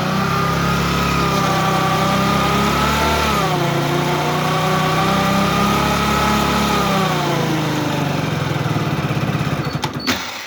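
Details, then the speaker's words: Hero HF Deluxe BS6 motorcycle, about 20,000 km, warmed up, in first gear with slight throttle against the brake: rough warbling drone rising and falling with throttle; 1st and 2nd gear noise. "तो आपने देखा किस प्रकार से आवाज आ रही तो मैंने क्या किया थोड़ा सा एक्सलेट दे दिया और ब्रेक के ऊपर पह रखा तो इसके अंदर ऐसी अ अजीबो गरीब आवाज आती है"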